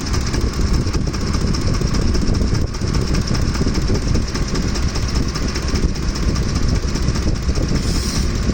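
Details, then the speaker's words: Ford F-150 with 5.4L 3V Triton V engine, hot engine at idle: constant rapid top-end clatter over a heavy rumble, ongoing rather than intermittent; left-side camshaft or timing chain suspected, chain thought more likely, not confirmed. "Is it even the cam? Is it the chain? Sounds more like a chain thing."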